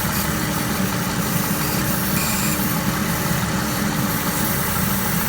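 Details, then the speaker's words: 1999-2004 Jeep Grand Cherokee 4.0 with heat stuck on defrost, engine running, driver's-side vacuum line dangling off its engine-block tip: steady idle with a faint constant hiss; vacuum leak through the disconnected line, fixed by plugging it back on. "So if you take your wire, plug it back in. You can probably hear it in the video. You can hear like the vacuum"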